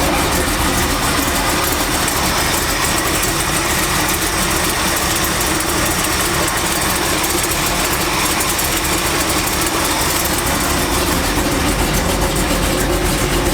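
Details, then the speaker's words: Truck engine at idle after work, steady even low rumble with no knocks, squeals or belt chirp; power steering doing good, belt aligned, no leak seen, only tire noise heard; sounds good, normal idle. "that thing sound good, y'all. Sounds good."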